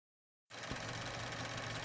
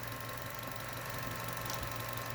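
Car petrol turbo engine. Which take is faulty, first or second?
first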